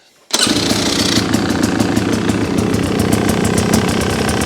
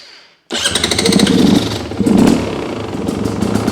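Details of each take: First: New 2026 Beta XTrainer 300 two-stroke, first start-up at the dealer, fuel mixed 100:1; fires and settles into a steady, crackly idle with even beat and no misfires while the oil-line air bubble moves, confirming the oil pump works. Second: New 2026 Beta XTrainer 300 two-stroke, idle untouched from factory, started on choke; crackly, uneven burble that sags between blips and won't idle unassisted; factory idle speed set too low, screw adjustment needed.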